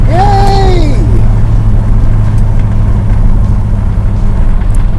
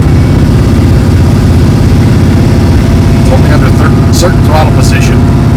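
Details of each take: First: 1973 Dodge Dart Swinger cruising on a test drive: steady low engine and road drone, no whine or rattle from the bell housing/transmission area; earlier whine is gone, though a rattle in the steering column remains. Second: 1973 Dodge Dart Swinger at steady idle in hot weather, with a light uneven tinny rattle from the bell housing area. The owner now thinks it is the tin dust shield, not the front pump it first sounded like. The noise is worst in second gear at about 40 mph.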